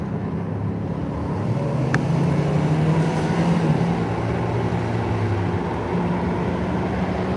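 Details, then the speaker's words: 2014 Chevy Cruze 1.4L turbo driving after water pump, housings, intake manifold and valve cover replacement, with a known high-idle complaint: engine drone climbs and holds higher than road speed calls for. Revs are abnormally high; vacuum-related cause suspected, not confirmed. "Y'all hear that high revving? It's just not normal."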